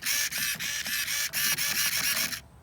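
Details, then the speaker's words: HBX Transit RC car with a new steering servo replacing the old plastic-geared one, bench-tested on the battery: about nine quick, smooth high-pitched whirring sweeps with no grinding or skipping; endpoints still unadjusted. "seems to be working so I'm gonna go in and put server home back on and then we'll take it for a spin"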